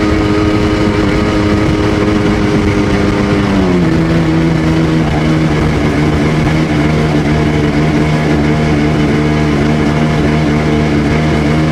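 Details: Rebuilt Sea-Doo GTX DI 951 two-stroke, fuel of unknown age; loud drone drops in pitch and holds under load, stumbling at 4200 rpm as RAVE valves open; reaches full rpm; owner suspects an odd, expanding RAVE hose.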